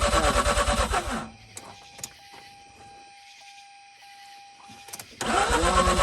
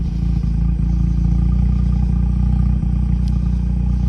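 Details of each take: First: 2004 Mazda RX-8 rotary after sitting two years, accessory belt shredded on first start, cranking with foot on the gas and no starter rest: fast even cranking churns, pauses, cranks again; turns over but won't start. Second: 2004 Mazda RX8 rotary, warmed up after sitting two years, muffler in two pieces: a loud, even low-pitched idle with a fast steady burble and no knocks or misses. Periodic revs produce some oil-smelling smoke.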